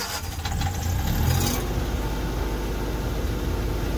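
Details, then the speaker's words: Diesel Generac generator in a motorhome, just after spring oil change with Mobil 15W-40 and Fram PH3682 filter (about three quarts), started after preheat: clatters into life, settles to a steady even low drone, no knocks or misses; normal running. "and that's a happy generac generators happy sounds good"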